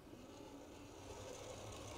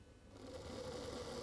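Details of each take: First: 40-year-old Hornby Class 43 HST model locomotive after motor replacement, at about scale 70 mph: quiet even whirr of small motor and gears rolling smoothly along track, no catching or grinding; runs healthy, pulling power untested. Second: Older Hornby Class 43 HST (125) locomotive with a Ringfield motor, on a rolling road with an old controller: it needs nearly half power before the motor suddenly bursts into a busy buzzing whirr, showing hard starting. The motor is due for replacement.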